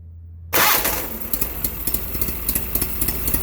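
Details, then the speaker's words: Case Ingersoll 4016 tractor with Onan P216G twin, rebuilt Nikki 6100 carburetor, first start after rebuild with carb primed and new fuel filter: silence, then it fires first time and settles into an even, steady idle; healthy start. "And she's running good. So it did fire up the first time."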